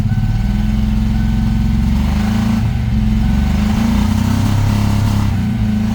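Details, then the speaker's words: 1993 Mustang Cobra, sitting 20 years, first start; low, lumpy exhaust note with uneven beat and wavering revs; owner suspects stuck injectors or timing way out; rough running. "so clogged she ain't sounding too"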